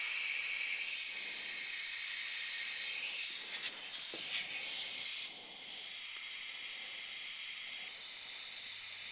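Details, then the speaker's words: Inflating Cub Cadet lawn tractor tire tube (rated 14 psi, compressor raised above 20 psi); steady high hiss from worn, cracked tire inflator and hose fittings; air leak hiss. "I ended up upping the PSI on my air compressor a little bit as you can hear in the video my air system is not in the best shape anymore both the tire inflator itself and the two fittings meeting together the hose and the tire inflator are worn out cracked not working the best"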